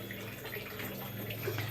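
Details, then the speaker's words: Refrigerator/freezer during freon charging after a capillary blockage: quiet, steady watery trickling and gurgling with faint hiss over a low hum, the refrigerant now flowing freely through the capillary into the freezer. "Saya biarin terus sampai habis, supaya berjalan sampai freezer itu bunyi freon berjalan itu sampai habis."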